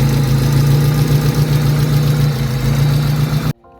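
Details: High-mileage Honda Civic EK hatchback being restored, revved: rough idle with a ragged puffing tick about four a second that stops with the engine; cracked exhaust manifold, new manifold and exhaust to be installed.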